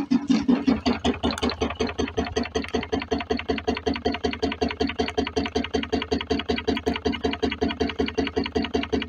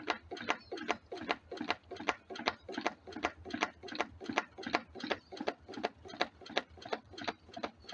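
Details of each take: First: DIY wood-fired rocket-stove Stirling engine generator Mk4, after packing it away from the swing arm to stop its knocking: even chuffing beat about 158 per minute with no sharp knock between strokes; runs smoothly, to be warmed an hour before power testing. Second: DIY wood-fired rocket-stove Stirling engine generator Mk4, on a rebuild after a hot-side seal blew out: sharp, even knocks about 2.5 per second like a bouncing ball; the natural rubber hot-side seal is slapping the swing arm.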